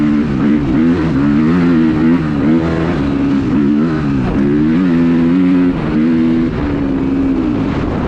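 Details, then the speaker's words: Suzuki RMZ 250 with rebuilt Rekluse auto clutch, fixing a stalling problem: rear brake locked at high speed in about 4th gear, rear wheel sliding. Engine note sags and wavers but keeps pulling without stalling; clutch disengaging properly. "Locked the rear brake, it is sliding the rear wheel, the motor did not stall. I was in about 4th gear."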